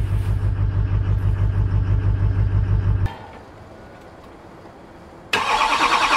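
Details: 2001 Chevy Silverado Duramax LB7 diesel, cold start on a freezing Maine day after replacing the starter; even idle clatter stops, then refires within a couple of seconds and settles smoothly; healthy.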